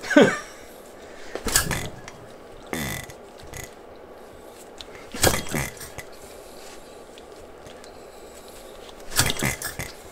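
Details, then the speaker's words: Philip Duclos Odds n Ends hit and miss model engine, first assembly and trial run with homemade cast iron piston rings; several short cranking bursts with no firing: no-start, concluded low compression, likely piston rings not sealing. "well after doing some checks i've concluded that it's compression um i think it's a problem with the piston rings"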